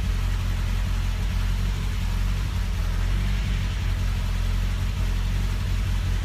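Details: 1974 MG Midget with SU carburettors: steady low, slightly lumpy idle with soft even exhaust beat; running rich, and owner reports it alternates between running weak and rich without a found fix.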